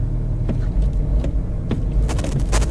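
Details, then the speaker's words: Used luxury diesel SUV, cold start on a frosty morning after glow plugs: deep uneven chug with irregular knocks and stumbles; rough lumpy idle, owner first wondered about immobilizer but ruled it out; heavy smoke afterward. "oh no that doesn't sound good at all does it what a turd you think that's an immobilizer issue"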